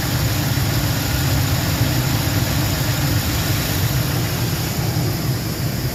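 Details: 2004 Lincoln Navigator V8 just started after 5/8 coolant hose replacement and refill with about 2 gallons of antifreeze, not yet at operating temperature: steady, even low rumble with no knocks, misses or surges, running good, not misfiring; normal idle.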